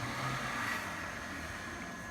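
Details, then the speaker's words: Dolium beer keg being filled by gravity, no pump: pressure relief valve venting with a thin steady whistle over a soft hiss, pulled to release more gas and speed the flow, fading slightly; normal venting. "La soupape de décompression, on entend qu'il siffle. Mais si je tire un peu dessus, ça va libérer un peu plus de gaz et faire couler la bière un peu plus vite."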